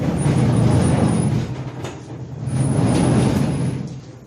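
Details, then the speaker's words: 1970 John Deere 140 H3 barn-find garden tractor, cold start at about 30°F after long storage: low rough rumble surging and fading, uneven chuffing about three beats per second; head gasket blown, pushing out everywhere. "with that gasketed gone gone gone and it runs it was just pushing stuff out everywhere"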